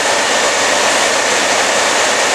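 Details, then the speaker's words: 1949–1954 Chevrolet Styleline fresh-air heater after heater core replacement, original blower motor kept after 12-volt conversion; loud steady rushing whoosh with no flutter or rattle, ripping heat; normal blower operation. "If you can hear it or how well, but that thing is ripping, and it is ripping heat."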